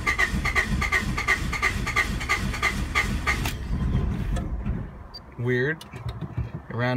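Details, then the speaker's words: 1992 Honda Accord, sat for a while, about 332,000 km, check engine light on: starter cranks at an even three beats a second for several seconds, then quits without catching; crank no start, owner suspects coolant temp sensor. "probably this coolant temp sensor I bet you bet you that's what it is come on I'll bet you that check engine light has something to do with that"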